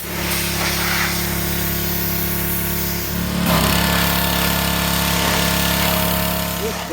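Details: Briggs and Stratton single-cylinder engine on a Cub Cadet mower: steady, even rattling run that takes a throttle change cleanly partway through; sounds healthy.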